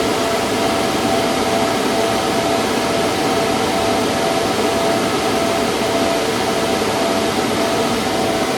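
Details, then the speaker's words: Antminer restarted with new 6,000 RPM fans (replacing 3,000 RPM), much quieter, exhaust piped through the wall: a steady, even air rush with a faint constant hum, no rubbing, rattling or surging. Normal fan operation. "I just started it back up. New fans, as you can tell, it is much quieter."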